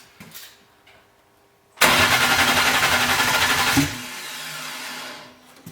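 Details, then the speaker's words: BMW E81 drift car with M50/M52-based engine on RM Primis ECU: about two seconds of steady rhythmic cranking that never catches; crank no-start for hours, injectors delivering but tank bottom full of contaminated fuel. "No tässä välissä olikin jotain tapahtunut ja koko kone ei suostunut millään käynnistyy. Ei vaikka mitä teki."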